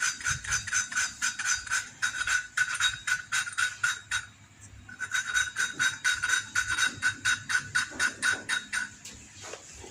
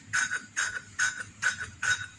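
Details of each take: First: Kalau dikira suaranya sudah halus, ya. Nah, seperti ini kan sudah halus. Tadi kan krek krek krek seperti itu, ya. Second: Manual valve lapping with a little oil, turning the valve in one direction only: gritty, scratchy rasps about twice a second as the valve turns, meaning the face and seat are still rough; a smooth, soft sound means lapping is done.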